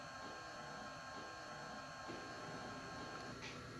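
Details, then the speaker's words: InFocus IN1 G-300WW projector after repairing a no-power fault, powered on: quiet, steady whir with a faint high hum and no rattles or scraping; the cooling fan is running normally. "luego conectamos el poder el cable de poder y le damos power click como vemos ya arrancó"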